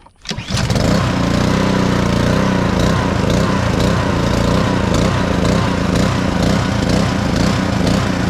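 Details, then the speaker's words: Black Max pressure washer with Honda GCV160 engine, after crank-no-start repair, started with choke: catches after a brief crank and runs loud but unevenly, speed hunting slightly; small throttle issue needing adjustment. "go fire back up a little throttle issue but man pressure washers do that"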